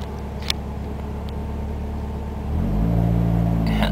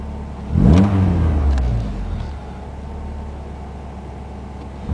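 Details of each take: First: Ford ZX2 idling at a stop sign: steady low petrol idle, then the revs step up and hunt higher when defrost/AC is switched on, and it is normal when off. Pulling the AC fuse cured it; owner assumes a bad compressor. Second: Ford ZX2 with defrost/AC off: steady low engine drone holding an even idle with no hunting or misses, apart from two brief handling bumps; normal idle, which turns weird with defrost on, suspected bad AC compressor.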